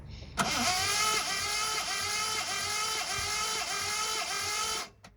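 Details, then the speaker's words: 1979 Ford Capri 3.0 Ghia Mk3 manual, unrun for about 20 years: steady starter whir with plugs out during a compression test, faint regular dip each stroke; some cylinders read low, owner unconcerned given long storage. "went around with a compressor tester and tested each of the cylinders to understand what compression they all had. That one there was one of the better ones. Some of them were a little bit on the low side."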